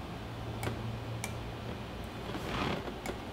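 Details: 100cc two-stroke racing go-kart with a battery at 12.9 V: only a few sharp, isolated clicks and no cranking. The starter is failing from rust, metal shavings and worn brushes.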